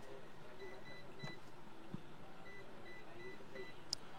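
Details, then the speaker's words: Google Pixel 7/7a that shuts off suddenly, board checked with a multimeter in diode mode. A few short, high beeps sound as the probes touch each side of a capacitor, showing it is shorted. "দেখেন এইখানে হচ্ছে গিয়ে একটা capacitor আছে এই ক্যাপাসিটরটা short এপাশেও short এই পাশেও short এই পাশেও বিপ দিচ্ছে"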